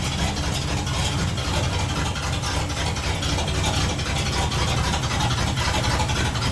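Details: 1960 Dodge D100, still noisy after cam work; quick uneven clatter about four beats a second over the running engine, cause not pinned down.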